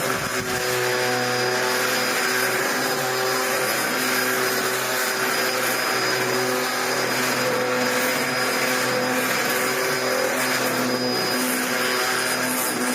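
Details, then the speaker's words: Steady motor whine with a busy, rattly whirr on top from a 1998 Dyson DC01 fitted with a new replacement brush roll; a little noisier than before, but no longer spitting out plastic. "I'm going to tell her and say I changed it, but it's a little bit noisier. See what she thinks. But it's not spitting out plastic anymore."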